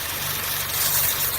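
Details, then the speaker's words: 2013 Chevy Cruze LT 1.4L turbo with codes P0171 lean and P1101; loud steady hiss over rough, lumpy idle, air sucked past a failed PCV valve in the valve cover, to be fixed by replacing the valve cover assembly. "so the engine is running it's running really rough at idle I can also hear a hissing sound"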